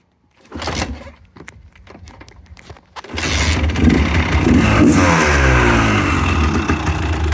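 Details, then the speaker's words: Fully restored 1985 Honda ATC250R two-stroke with the OEM exhaust and OEM baffle (stock sound). A few sputtering pulls and pops, then it catches and settles into a crisp, even idle with clean blips. Normal start and idle. "It does have obviously the OEM exhaust, but this one does have the OEM baffle in it, which is super cool. So you got that stock sound."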